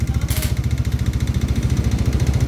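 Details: Engine with a knock that started soft and grew louder, block scored, hard to restart once stalled: dull, evenly spaced knock on every beat at idle, called piston knocking; worn connecting rod with piston scraping the bore.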